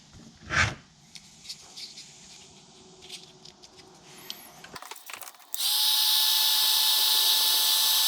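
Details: Dremel 4200 rotary tool with intermittent switch, after heat-shrink added to widen the plastic switch actuator; handling clicks, then a steady, high, even whine that holds without cutting out, running normally.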